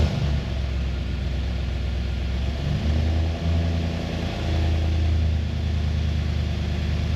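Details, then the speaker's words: Nissan Y62 Patrol Series 5 V8, first start after fitting a Manta cat-back exhaust: deep, steady rumble that picks up smoothly on a couple of throttle blips and settles back cleanly; engine and new exhaust sound healthy. "no dust, no water, doing its job, and it sounds amazing."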